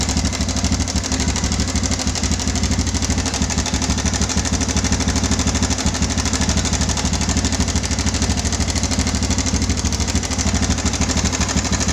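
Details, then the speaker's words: Yamaha Bison motorcycle modified as a bobber, idling: harsh metallic rattle on every beat, about three a second; owner feared connecting rod damage needing an engine teardown, but it was a loose cam chain from a broken cam chain tensioner. "Oke, itu suaranya mengerikan sekali, dan si konsumen motor ini dia sudah agak berpikir, dikira itu suara di bagian stang seher atau di bagian dalamnya."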